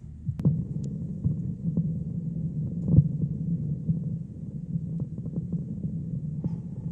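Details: Thunder THC-SUB101 active subwoofer: after 10–30 minutes of normal play, low steady hum with irregular soft thumps about every second, like a wire making and breaking contact, persisting at zero volume; stops when filter board line input disconnected, output amplifier fine, four 8-pin op-amps already replaced.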